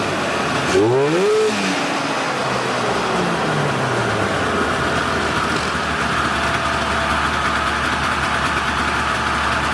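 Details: Polaris 488 two-stroke snowmobile revived in cold weather, engine freed and carbs cleaned including a hidden jet, carbs dry so several pulls needed: catches after a pull, blips up and down, then settles into an even buzzy idle that holds steady; running healthy.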